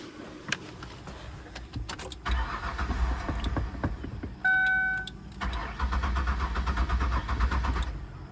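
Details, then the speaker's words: 2003 Ford Windstar van with water-contaminated gas, no fuel reaching the engine fuel lines: repeated bursts of starter cranking with a warning chime between them, never catching; cranks, no start, owner suspects a clogged fuel filter. "Okay, let's see if we can get the van started."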